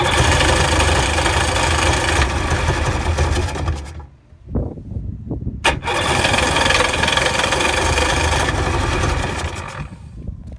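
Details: 2000 Sea-Doo GTI that slowly bogged down and died: starter cranks in steady bursts with pauses, never firing. Has spark; carburetor rebuilt and fuel selector replaced; cranks but won't start.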